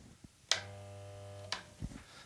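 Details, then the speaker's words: Auction-bought electric air compressor, pressure switch pulled: click then steady mains hum, motor tries to start but won't rotate; owner fears seized pump, finding points to failed start capacitor. "The motor is trying to start. So let's see if we can diagnose the problem here. Motor's trying to start, but it won't rotate."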